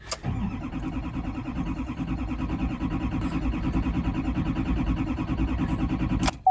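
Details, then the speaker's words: LML Duramax diesel pickup at about 25°F after glow plugs cycled, new batteries, fuel filter changed about 1,000 miles ago, half a tank: starter cranks about six seconds with even compression pulses but never fires; owner suspects a fuel problem, no trouble codes available. "just cranks absolutely nothing."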